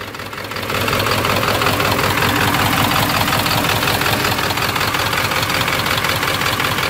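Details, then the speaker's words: 1997 Ford F250 HD 7.3 diesel with injectors 1 and 3 misfiring from a bent pin in the valve-cover harness connector, after new gasket and spliced connectors on one side: loud idle, uneven lumpy knock, still shaking hard. "still shaking like crazy even after I put the new gasket in"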